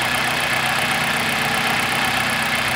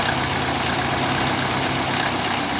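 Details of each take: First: 2000 Toyota Celica GT 1.8L VVT-i after adding about two quarts to the low oil: a steady, even idle with no ticking, rattle or top-end knock; the valvetrain noise is gone and the idle is normal. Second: 2000 Toyota Celica GT 1.8L VVT-i at idle with low oil: steady but slightly uneven idle with a light clatter over the hum; valvetrain noise and rough idle from low oil affecting the VVT solenoid and cam phaser, P1315 and P0300 set; cured by adding oil.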